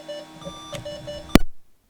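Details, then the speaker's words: 20-plus-year-old Slot 1 Pentium 3 550 MHz PC at power-on: short single-pitch beeps about three per second, cut off by a sharp click; POST error beeping, cause unknown. "And we've got a lot of beeps. It's not happy."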